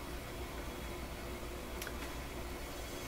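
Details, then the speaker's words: Electrohome Chippendale console record player at 45 rpm, where traction is good (33 and 78 slip): steady low rumble and hum with a faint sustained ringing from the platter. "Certainly is a noisy guy, isn't it? Like the you can hear the platter ringing."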